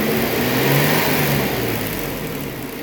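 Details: 1991 Toyota Hilux with a swapped Toyota 4.0 V6, after its lean misfire was corrected: engine revs up cleanly and settles back with even firing and no stumble or popping; healthy idle and revving.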